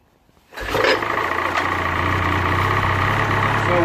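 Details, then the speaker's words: Ski-Doo Freeride 800R E-TEC snowmobile, just after a recoil starter kit install with the muffler reinstalled: the engine catches almost at once and settles into a steady, even two-stroke idle with no misfire or rattle, running normally. "With the muffler reinstalled, I'm able to start it up now."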